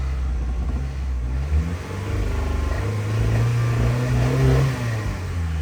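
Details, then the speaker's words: 1995 Geo Tracker after fuel tank, fuel pump and sending unit work: uneven low rumble with revs surging and sagging; rough running, owner suspects disturbed mass airflow sensor wiring, cause unconfirmed. "So in that video, you see it was running not great."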